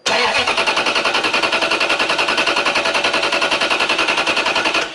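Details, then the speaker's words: Toyota 3UZ-FE V8 after its ECU was bricked by a dealer; after it fired once, key cycled and restarted: steady fast cranking, about 3.5 beats a second for five seconds, never catching, indicating an immobilizer lockout. "now if you've got an immobilizer issue and you've just fired it like that i try to start it again it'll just crank"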